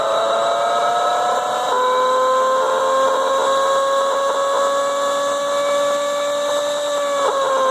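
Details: Leybold Turbovac 150CSV turbomolecular pump of unknown condition spinning up: a high whine slowly climbing in pitch with a rough, grating edge underneath from bad bearings. Some oil was lost.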